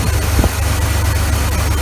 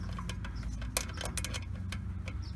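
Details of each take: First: 1980 Chevrolet C-10 Scottsdale, 4.1L 205 cid inline-six, after oil pan gasket, water pump, thermostat and fan clutch replacement: steady even low idle rumble, no knocks, rubbing or squeal; smooth and healthy. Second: 1980 Chevrolet C-10, 4.1L 205 cid inline-six at idle after replacing the water pump and fan clutch: sharp, irregular scrapes and ticks from the engine front, like a pulley rubbing; owner suspects a bolt behind the water pump pulley. Unconfirmed.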